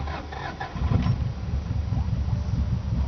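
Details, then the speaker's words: 1995 Subaru WRX GC8 EJ20G turbo, still warm after running, restarted after it lost boost and sounded like a tractor: uneven lumpy thump missing beats like a dead cylinder; cause was a holed piston (zero compression), plus exhaust leak and cracked turbo. "okay all right so 1995 Subaru WRX uh was driving home one day and lost boost pressure and it sounded like a tractor"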